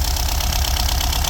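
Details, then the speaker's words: VW Golf V Plus 1.4 TSI (turbo), first start in two or three years after repair of a slipped timing chain that let the valves hit the pistons: a low, lumpy, knocky idle, seemingly not firing on all cylinders; misfire, cause unconfirmed. "after two or three years it's not running perfect but it's running okay better sounds like it's not running in Old cylinders"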